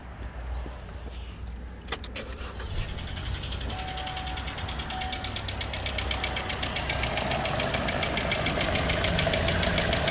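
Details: 2014 Chevrolet Cruze petrol engine running with a steady, sharp ticking-knock, about three a second, over the idle, recorded with the hood open; engine to be replaced under warranty.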